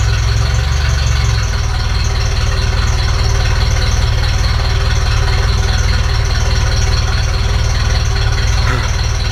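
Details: Ferrari 308 after restoration, before mixture adjustment: loud, deep idle with slightly uneven lumpy beat around three pulses a second; owner says it runs too rich and leaks oil; engine stalled shortly before. Rough idle.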